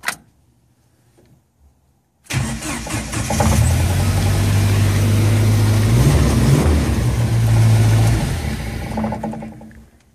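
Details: Jeep YJ Wrangler with delayed/no-start, suspected failing ECM ("lazy PCM"): after the ECM is struck with a screwdriver, it cranks briefly, fires, revs up and holds a steady run before dropping away; engine starts and runs.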